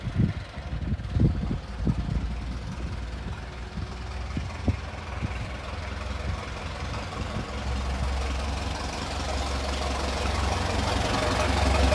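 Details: Restored 1921 American LaFrance fire engine pulling away down the street: a slow, loping four-cylinder beat with a few early clanks, then a steady rising drone; fine restoration, healthy normal running.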